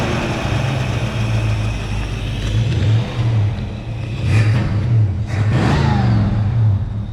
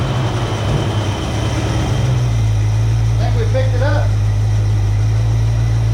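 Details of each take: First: 1966 Ford Mustang 2+2 Fastback, 82,000 miles, sitting for years, fuel pump just replaced: engine runs rough and uneven with low rumble, revs sag and falter, then dies; stalls after running, cause unclear, possibly needs oil. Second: 1966 Ford Mustang 2+2 fastback with 82,000 miles, sitting for years, started after replacing a leaky fuel pump. After a rough first couple of seconds it settles into an even, steady idle with no miss or knock, "starting to sound better."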